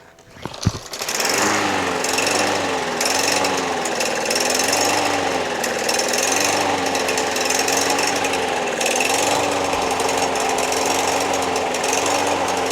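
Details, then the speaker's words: Free curbside MTD Yard Machines push mower, Briggs 550EX Series ReadyStart auto choke, plastic carburetor: starts after 3 pulls but runs rough, pitch hunting about once a second; surging from dirty carburetor, main jet suspected clogged, fixed by carb clean. "Starts right up after 3 pulls. You could tell it runs kind of rough. Sounds like to me that it just needs a carb clean."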